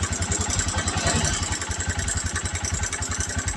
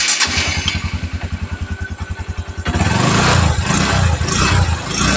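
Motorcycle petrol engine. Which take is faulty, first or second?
first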